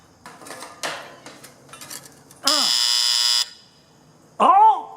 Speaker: pump's working oh boy the float's not working float switch that's not